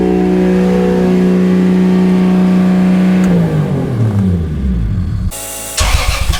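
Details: Toyota 2JZ swapped into a Mercedes, first run after two years of work, oil pressure confirmed: steady, even idle with a smooth low hum for a few seconds before winding down, no knocks or ticks; no leaks found; normal idle.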